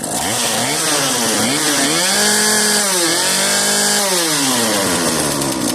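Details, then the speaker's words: Cheap modern Poulan Pro chainsaw, a marketplace find, keeps running on its own on old fuel left in its tank, its buzzy two-stroke pitch rising and falling slightly. The owner expected a carb rebuild, but the carburettor works. Healthy running. "There must still be good fuel in this tank, and the carburetor is actually functioning."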